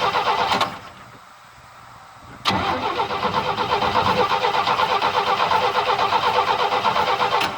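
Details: 1972 Chevy pickup first start after sitting a long time since a tree fell on it, with a little gas poured into the carburetor; brief crank, pause, then catches and settles into a steady, slightly uneven idle.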